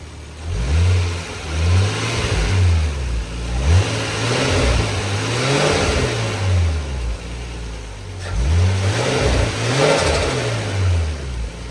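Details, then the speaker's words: Nissan R34 Skyline after the clutch fan was removed and replaced with an electric fan. Several clean throttle blips rise and fall smoothly, with exhaust and intake clearly audible and no fan whoosh, where revs used to be drowned out. Normal revving. "So without the clutch fan, you can hear a lot more exhaust noise. You can hear more intake noise. And you can just hear the engine better overall."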